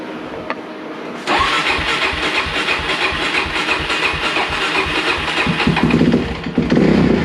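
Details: 2004 Suzuki DRZ400S after replacing broken oil pump gear that caused a knock, first start on choke: cranks and catches after about a second, runs lumpy and uneven with revs hunting; carburetor seems to need adjusting.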